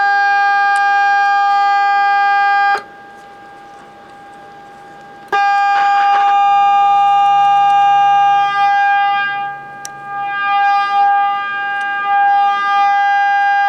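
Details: Becker Europa MU solid-state car radio with dead FM: 10.7 MHz signal-generator signal injected into IF rings loud, clean and steady through the speaker, so IF is good; fault upstream in FM tuner section.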